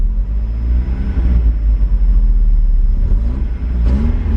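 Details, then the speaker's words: Mazda Eunos Roadster, about 50,000 miles, first run after 5 years idle, fuel pump and relay issues sorted: steady, even low rumble with a light rev, no knocks or misses, more responsive after running; oil pressure gauge reads low, possibly faulty. "cars a lot more responsive I think you just needed to run for a little bit"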